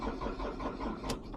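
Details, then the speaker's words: Ford Transit Mk7 2.2 FWD, first start of the morning, long-running starting problem worse on cold mornings: cranks like a flat battery, fast then slower, then starter spins out without engaging; starter motor suspected, later fixed. "Started fast, then got slower. Ignition again. And then the starter spun out. It didn't really engage."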